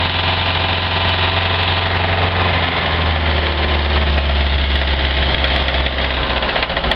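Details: Mercruiser 3.0 liter boat engine, in for winterization, knocking the same for three years while still in use: loud, deep idle with steady throb and rough knocking texture; knock at idle, cause unknown.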